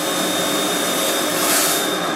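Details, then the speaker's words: KAM KFHM 1000 fog and haze machine (1000 W) in haze mode, fan on full: loud, steady airy roar with faint high whistle, no rubbing or rattling; noisy but normal fan. "as you can probably hear it's quite loud with the fan let's put it on that's what the hazer function looks like pretty cool"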